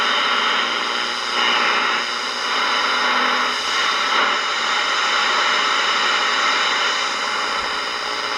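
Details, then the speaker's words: Ross RE-1207 radio on the bench after re-cap and repair, tuning AM around five o'clock: steady hiss and crackle with a faint unidentifiable station; weak AM reception, mostly static between stations. "definitely another station though it's uh five o'clock so i don't think it's really late enough for skip to be rolling in pick up a hand up stations there but i can't tell what it is"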